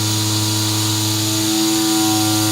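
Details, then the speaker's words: Thin unsupported triangle sections of a camera-spinner rocket attachment part chatter against the bed while CNC milling near the bottom of the part; steady spindle whine and cutting hiss with rough buzzy rattle. "the really tricky part of this is going to come when we get really close to the bottom of the part I'm actually a little bit worried about that we've got these big triangles that are hanging on up top you can start to hear them chatter against the bed"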